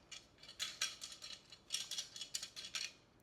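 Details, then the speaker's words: Removed clutch disc rocked by hand: bright metallic clatter in short bursts, something loose inside the disc, which otherwise has plenty of life left; pressure plate looks fine, and the throwout bearing is suspected as the original noise. "there's something loose here in the clutch disc. Seems to be lots of life left in the disc itself, though."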